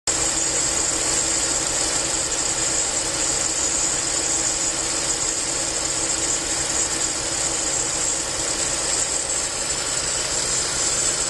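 A loud, even hiss sits over a faint idle and never changes; something is hissing at idle, cause not pinned down.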